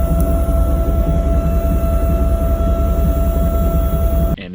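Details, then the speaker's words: Failing in-tank fuel pump on a 1998 Chevy Silverado K1500: insanely loud constant high-pitched whine over a rough idle, audible in the cab and outside; owner assumes the pump is going out. "it is insanely loud. You can hear it in the cab. You can definitely hear it outside. It sounds terrible. So I assume that the pump is going out."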